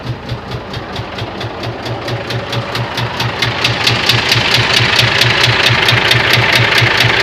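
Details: Scania 124 diesel idling: sharp, regular knock about twice a second growing louder over the clip; internal engine knock of unknown cause.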